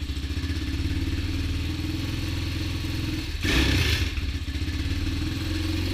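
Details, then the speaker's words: Honda XR200 single-cylinder dirt bike after new transmission and other new parts, first run nearly out of gas: steady, even single-cylinder thump, one throttle blip settling cleanly, no knocks or rattles; normal running. "I'm not going to complain with the way that sounds. I believe we're about out of gas. Yeah, I believe I didn't put a whole lot of gas in there, but sounds pretty good to me."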